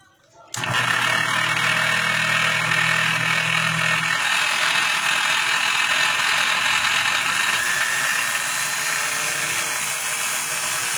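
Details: Bosch GWS 22-180 angle grinder, running before being opened, lights flicker when switched on: spins up to a hissing whine with a rattly edge persisting at full speed, from a cooling fan loose on the armature.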